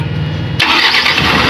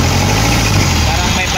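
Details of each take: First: Mitsubishi Canter 4M50 diesel truck, restarted after the no-start repair: brief crank catches almost at once and settles straight into a strong, even run. Normal quick start. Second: Mitsubishi Canter 4M50 diesel, hard to start, run on electronic cleaner: loud, uneven, lumpy idle; two injectors (cylinders 1 and 3) found faulty. Rough idle from faulty injectors.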